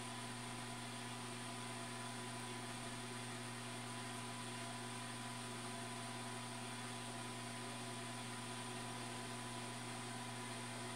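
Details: New automatic egg incubator bought online, just switched on and warming toward its 37.8°C setpoint: steady, even low hum with a soft airy hiss, no knocks or wavering; the incubator fan is running normally.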